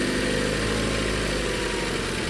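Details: 2017 Range Rover Evoque, four-cylinder turbo with 163,11 (as stated) miles, idling after an intermittent misfire was fixed: steady, even idle hum with no stumble or skipped beats.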